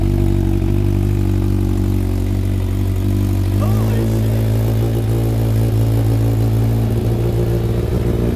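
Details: Rebuilt Thunderace engine first run on a fresh battery after petrol pump began working: catches and runs steadily, pitch rising briefly with a throttle blip; smooth, even, no knocks; smoke from paint, water leaks noted.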